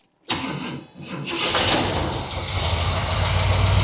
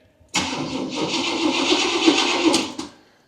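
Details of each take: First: Abandoned 1977 Camaro RS, first start in years after adding fresh gas and spraying starting fluid into the carb: brief crank, fires instantly and builds into a steady rising idle. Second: Abandoned 1977 Camaro RS, first key-on in years on a jump box: about 2.5 seconds of steady starter churning with no firing, then stops. Cranks but won't start; gas tank believed pretty much dry.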